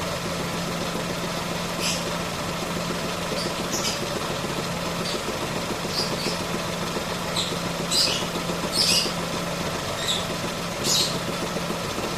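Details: 2017 Ford Ka engine at idle with a strange noise; steady idle hum with irregular sharp chirps or ticks every few seconds, origin unclear.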